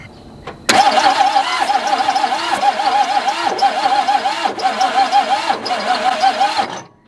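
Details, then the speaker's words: 1961 Ford Falcon abandoned 15 years, cranking during a wet compression test with oil added to the cylinders: even compression pulses about three a second, no firing. Compression improved with oil, so the rings are suspected rough. "sounded like it oh yeah that's much better sounds like the rings are a little rough"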